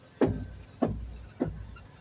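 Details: 2004 Toyota Sienna: three sharp low clunks about every 0.6 seconds while turning the steering wheel, from a worn front upper strut mount plate under the windshield cowl, to be replaced.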